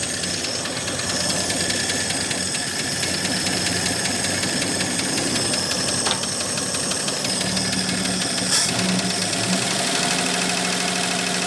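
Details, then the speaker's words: AMC Rebel SST, first run after sitting 35 years, fan belt thrown; harsh clattery idle with a tinny rattle over an uneven beat; owner calls it very noisy and thinks it could use a little more timing. "Very noisy. Probably could use a little more timing, but that's pretty good, ain't it?"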